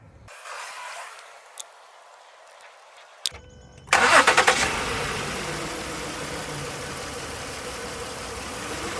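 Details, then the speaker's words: Ford Flex 3.5L V6 with code P0306, cylinder 6 misfire: started after stretching coil spring, still idles with uneven stumbling beat; owner certain from behavior that the ignition coil pack is faulty, replaced to fix. "well not lucky on this case so we'll have to actually replace that coil since i've had this happen before i'm certain that it is this coil pack i can tell from the behavior"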